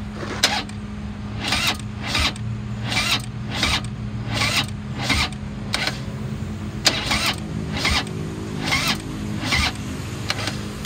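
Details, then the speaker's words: 2016 Harley-Davidson FLHP Police Electra Glide, 9,321 miles, sat untouched over a year, on a jump box: fuel pump primes, then slow, labored cranking with even compression pulses, never catching; weak battery, engine not seized, likely bad fuel, needs battery and service. "turns over very sluggish at least we know it's not seized up the motor turns over but it will need a new battery and it'll need to be serviced"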